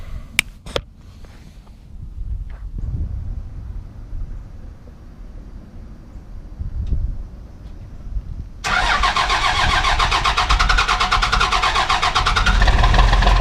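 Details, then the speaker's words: 1994 Cummins P-pump diesel, timing too advanced and overfueled, one-crank cold start at 22 degrees without usual grid-heater wait: slow cranking then harsh loud catch into clattery uneven running; rough start, normally starts easy. "oh gosh that was pretty rough but they kind of I mean it's a bad idea and actually usually starts pretty easy"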